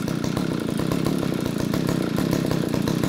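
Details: Eskimo Stingray 33cc two-stroke ice auger after fuel line replacement kit fixed a fuel leak buzzes at a steady, even beat with no stumbles or surges; runs cleanly, no fuel leaking.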